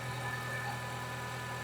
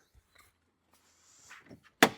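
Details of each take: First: Renault Clio 172/182 F4R engine idling after fitting replacement non-genuine coil packs: mostly steady with faint unevenness, about 85% right; slight residual misfire at idle, owner suspects a faulty injector. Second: Renault Clio 172/182 F4R engine with misfire, during compression test with plugs out: about four seconds of steady rhythmic starter cranking with whirring starter and no firing, normal cranking.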